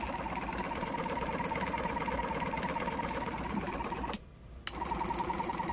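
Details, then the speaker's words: Jumper box air compressor with formerly seized motor, weak internal battery; uneven stumbling buzz about three pulses a second, like a car misfiring: owner suspects the motor is still tight, hopes running frees it. "well i just got this thing running last night and ain't running very good trying to get the thing freed up and always gonna run if i leave it on the side it almost sounds like a car misfiring it definitely sounds like that motor is a bit tight"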